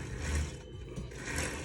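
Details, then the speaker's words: 36' Hatteras yacht Hynautic hydraulic steering after running out of fluid (suspected slow leak at rudder cylinder); refilled and priming, helm pump whirr firms up and changes as air purges while turning. "see how easy how it spins but eventually see it's spinning less and less it's getting a little bit harder and notice the sound changes in in the in the pump"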